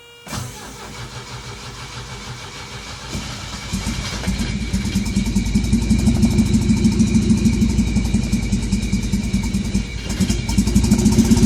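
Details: 1984 Saab 900 8-valve turbo: long, steady cranking for several seconds before the engine catches and revs up; a hard start, cause not yet known.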